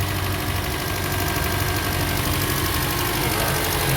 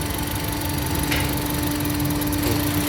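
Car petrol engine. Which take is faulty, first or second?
second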